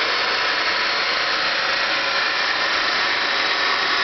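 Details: Homebuilt EV's DC motor bench-run on small 12V AGM batteries during brush break-in: constant hissy, scratchy whir, no knock or beat; brushes still bedding on commutator, noisy but much quieter than at first setup.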